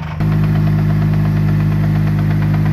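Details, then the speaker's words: RWD-converted VW GTI, drivetrain turning in gear: steady low drone with faint repeated knock; driveshaft flange appears to have been hitting the transmission case, oil clean with no metal chunks; drivetrain clunking. "it looks like those uh the driveshaft flange has been hitting that transmission case a bit and it's all silver everything else roughly looks as it should from the outside so that's the sound that we're getting"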